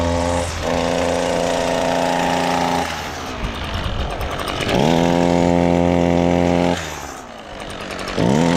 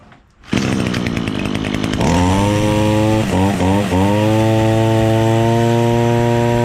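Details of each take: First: Echo SRM-225 two-stroke string trimmer: revs in three bursts but climbs sluggishly and bogs down at modest speed; cause is a clogged exhaust screen. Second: Echo SRM-225 two-stroke string trimmer after removing clogged exhaust screen that caused bogging: starts and settles into a clean, steady high buzz without bogging.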